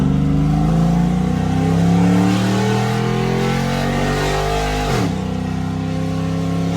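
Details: Cammed LS Tahoe, muffler off, 0-60 full-throttle test after misfire repair: strong smooth pull, pitch climbing cleanly with a shift near the end, no stutter or misfire; running well after repair.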